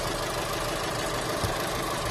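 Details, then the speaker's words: Holden Cruze petrol engine idling roughly with uneven, stumbling low thumps and heavy shaking: a dead misfire from a common ignition coil failure on the coil pack under the cover. "we've got a Holden Cruze in the shop today came Molina with a engine misfire you can hear it you can feel it it's a dead miss"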